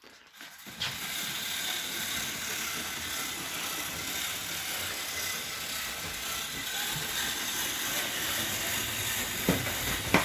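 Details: Lego train running on a track layout: steady buzzing whir with light track rattle, even and unbroken throughout; the motor runs smoothly.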